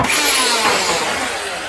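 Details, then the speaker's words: Old keyed-chuck drill with small masonry bit in normal rotary mode, spinning freely: steady smooth high-pitched whir with no hammering knock, unlike the growling vibration in hammer mode. "so the drill is now spinning on its normal function and if I do this you hear that noise"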